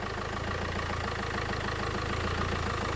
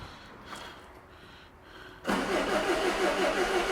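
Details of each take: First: 2002 Renault Master 2.2 dCi idling after fuel system repair, low fuel, checked for leaks: steady even diesel tick-over with smooth regular beat, no knocks or misses; normal idle after repair. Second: 2002 Renault Master 2.2 dCi with an intermittent crank-no-start, after fitting a genuine pump and heater plugs and priming out air bubbles, air box off: steady cranking at about three compressions per second, never fires. Crank, no start.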